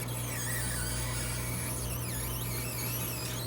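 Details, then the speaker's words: GE Profile ice machine making ice: wavering high squeal over steady low motor hum as solid ice binds forcing out of evaporator; clogged water hose starved evaporator, fixed by cleaning; ice jammed in evaporator squeal. "It's like the ice is struggling to come up out of there, making some type of god-awful squealing sound."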